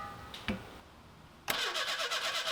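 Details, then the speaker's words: 1985 Pontiac Fiero 2M4, engine reinstalled with a new fuel tank and fresh gas; starter clicks in, then the engine cranks in a quick even rhythm but never fires; cause unknown, fuel delivery and valves appear fine. "okay here it goes why isn't it firing after a few more failed attempts and standing around in various positions thinking I decided to call it online and come back in the morning"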